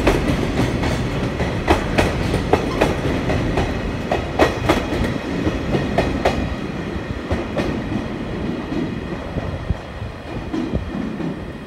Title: 2021.3.22 貨物列車 EF65-2063牽引 4073レ 小山駅発車 フラット音多め